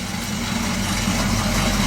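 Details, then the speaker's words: 1978 Chevy C-10 parts truck engine running for the last time before removal: heavy, uneven rumble with a lumpy beat under the exhaust; runs rough, owner suspects a wiped-out cam, timing chain a common problem; unconfirmed. "You still don't run too good. I think maybe the cam's wiped out. And timing chain is a common problem with these things."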